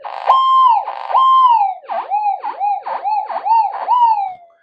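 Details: Repaired Minelab SD2100 metal detector on cancel coil: clear warbling tone rises and falls as aluminium passes the coil, strong repeatable response; detector working.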